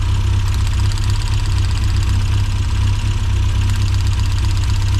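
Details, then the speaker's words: 1990s Mini Cooper S Sport 5 (John Cooper Garages), hot rough idle; plug lead 4 pulled for a cylinder drop test: low idle with an uneven, lumpy beat about four pulses a second, no noticeable RPM drop. Rough idle, cylinder not isolated. "So there's no real noticeable RPM drop there. Like I say, it should drop and then pick back up again."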